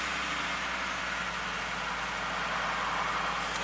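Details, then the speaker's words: 2018 Ford F150 V8, 67k miles, which had code P21CF (cylinder 1 injector B open circuit) and a misfire at idle. After the repair and clearing the codes, it starts and revs smoothly with an even, steady hum under some hiss and no stumble or tapping; it later feels slightly shaky. "All right, let's fire it [Applause] up. Seems to rev up smoothly."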